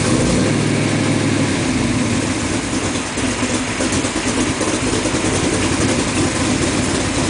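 Engine settles into a steady, even idle with a smooth low rumble and no misfire or miss in the beat; it sounds healthy.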